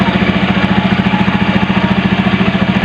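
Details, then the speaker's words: Carbureted Honda Beat scooter, unused about 6 months, cold engine on automatic choke in the carburetor; steady, even putter about three and a half beats a second with no misses, a normal cold idle on choke. "dia menggunakan sistem tutup otomatis sehingga otomatis mana bekerja ketika mesin dingin Ketika nanti akan secara otomatis udara akan terbuka lebih banyak"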